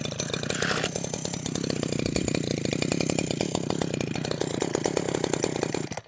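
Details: Husqvarna 123HD60 hedge trimmer two-stroke, not run for a while, new fuel lines, starting on full then half choke: rough, uneven buzz surges several seconds then stalls abruptly; suspected carburettor diaphragm fault causing rough running and stalling.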